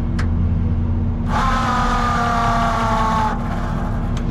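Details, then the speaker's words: Peterbilt 389 tanker truck's pump, bypass closed: smooth whine spins up for about two seconds, then coasts and rolls backwards after throttle release; owner suspects pressure, pump spins free. "sounds pretty good but it's rolling backwards once I let off that might be due to pressure but man that pump is spinning free"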